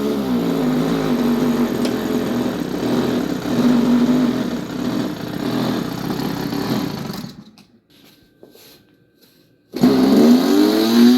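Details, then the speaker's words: Apparently never-run Royal .46 nitro engine on a Dumas Big swamp boat, warmed with a heat gun to start: loud high buzzing two-stroke note wavering with throttle, briefly cutting out then picking back up; running normally. "it started too you hear it yeah pretty sure this engine has never been ran by the looks of it little bit of heat helps a lot"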